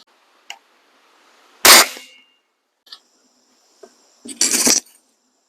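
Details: Webley Eclipse air rifle before a home tune (soda-bottle top hat and spring tar): sharp crack with a short metallic twang ringing after it, then a second shot; the trailing twang is mainspring buzz.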